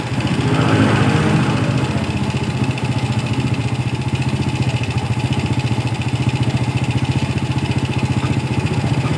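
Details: Yamaha Vega R motorcycle idling after its faulty carburetor was serviced and refitted; air filter cleaning and body covers still to go. A steady, even single-cylinder chug at about 220 beats per minute with no misses or knocks; normal idle.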